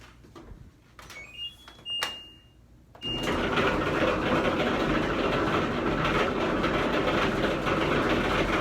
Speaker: the dryer has gotten really noisy anytime you turn it on it just makes this terrible rumbling sound so loud my wife and I can barely talk